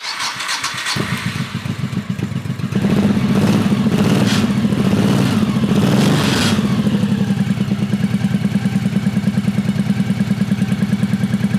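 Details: 1985 Honda VT1100 Shadow with sidecar, neglected and reportedly hurricane-flooded, carbs rebuilt and primed, enricher used: cranks about a second, fires, runs rough and loud briefly, then settles to a steady, even idle; rust-coloured discharge from exhaust.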